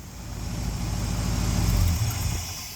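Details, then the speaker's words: 1972 Ford F750 "Super Pickup" truck V8 idling after advancing ignition timing by rotating distributor clockwise toward passenger side; deep, smooth idle swells and settles with no misses or stumbles; normal idle. "so that's all we did put a little rotation in it a little bit goes a long way and now it's idling pretty darn good honestly pretty good"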